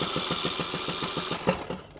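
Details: Riding lawn mower, cranked with the spark plug removed (no compression) on a known-good battery: quick even cranking of about six pulses a second, then spins down; strong, free-turning crank.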